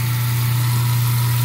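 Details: Garbage disposal after clearing lemon peels and freeing it with the Allen key, then running it with hot water: even, steady low hum with no rattle, grinding or stalling; sink no longer backing up. Normal running.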